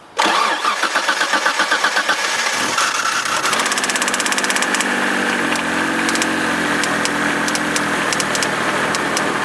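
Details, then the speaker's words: 1991 Dodge Stealth 3.0L twin-turbo Mitsubishi engine, started right after fogging it for winter through the recommended booster hose; loud, sharp metallic pinging knock repeating with engine speed, seemingly from inside the head; owner suspects broken roller rocker, lifter or rod, unconfirmed. "all right you hear that pinging in there that's super loud it sounds like it's going to break"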